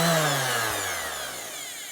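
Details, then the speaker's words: Makita lightweight orbital sander with dust collector, plastic body, tests safe; after variable speed run, set back to one. Smooth high-pitched whir winding down after switch-off, no rattle or grinding; sounds like brand new, normal running. "back to one that sounds like a brand new one so I'm more than happy to hang on to that one"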